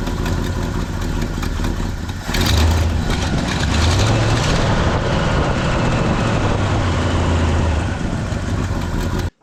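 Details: 1972 Ford pickup with 360 V8 after fuel pump replacement: deep, steady rumble after start-up, a brief throttle blip, then an even run with no stumbling; running normally, new pump not leaking.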